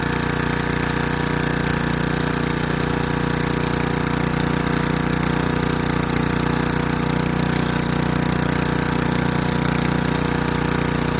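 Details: Craftsman Eager 1 4hp chipper vac (model 987.799790, auction flip) in chipper mode. Steady, even hum with a constant chopping rattle as sticks feed through, no bogging; bent sticks jam. Normal running under load.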